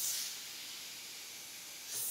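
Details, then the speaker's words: Wheelbarrow tire, possibly with an inner tube, drilled with two holes and patched with Flex Seal glue: a thin high hiss as air escapes through the patch; it held about 11.5 psi at most, then leaked down. "hear it leaking out of the kind of the Flex hillside so the once blue might work that's kind of disappointing man it couldn't even hold like two psi"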